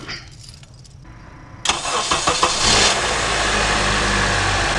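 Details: 2009 Honda CR-V K-series engine, after starter replacement: starter whirs a few strokes, engine catches cleanly into steady even idle; healthy start.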